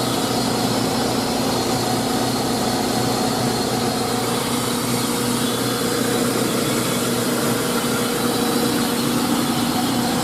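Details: 2000 GMC Sonoma 2.2L I4 after new belt and tensioner (previously squeaking, especially with AC on): steady even idle, smooth low hum, no squeal or chirp; normal idle, owner hears slight tapping possibly from timing chain.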